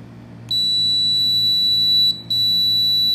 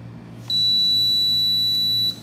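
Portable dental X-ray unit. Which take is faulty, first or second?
first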